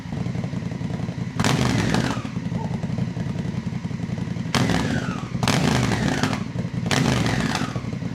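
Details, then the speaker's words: Honda Africa Twin after valve inspection and tune-up, exhaust baffles removed: short blips to about 4,000 rpm give a loud, deep exhaust bark that falls back cleanly to idle; engine healthy. "It just sounds so much better. Oh man, it sounds mean in my opinion."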